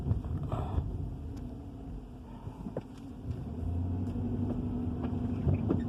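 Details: 2013 Dodge Charger Hemi V8 at idle: rough uneven tapping and rattling knock about four a second over the rumble; owner asks what it is, cause unknown.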